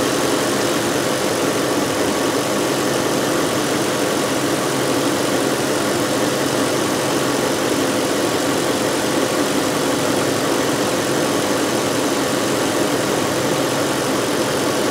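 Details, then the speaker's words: 2005 VW Touareg 4.2 V8 with lean faults and a stiff brake pedal, idling: a continuous hiss under the engine note from the brake booster vacuum pump lines, where a hose is split; vacuum leak. "it sounds like there is a pretty heavy vacuum leaf which would explain our stiff brake pedal and could potentially affect our fuel trims because there's a bunch of check valves all through these wines"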